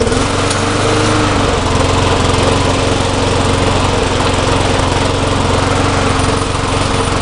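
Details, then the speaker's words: Neglected small lawn mower engine, soaked after being flipped upside down, running steady with a rough, rapid rattling clatter like the blade striking when the front wheels are lifted. The blade shows no clearance problem when inspected, so the source is unconfirmed. "um when I pick up the front wheels it sounds like the blades hitting but when I flip it over and try to figure it out it's not even close to hitting anywhere so I don't know this is gonna start"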